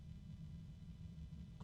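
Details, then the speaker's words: 120 mm PC fan at high speed: quiet, steady low-pitched hum/drone with a faint friction sound, possibly the bearing, that gets louder as speed increases; no clicks or rattle. "it's kind of noisy there's a weird kind of a friction sound I'm hearing can't tell if it's the bearing or something else it does increase as I increase the speed though and get louder too oh wow it's a low pitch"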